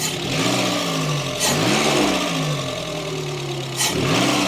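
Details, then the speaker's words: Renault Clio 16v Grand Prix that has barely run for several years, tappy hydraulic lifters: each throttle blip rises sluggishly before falling to a slightly ticky idle; hesitation, engine responding slowly, service and sensors due. "it is responding quite slowly"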